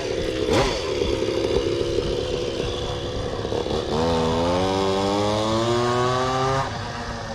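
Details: Stand-up scooter two-stroke, either the 1996 Zooma or the Goped Bigfoot with original Zenoah G23LH and JetPro pipe, run on a cold day after being revived: buzzy idle rattle, then revs climb smoothly and drop back cleanly. Sounds healthy.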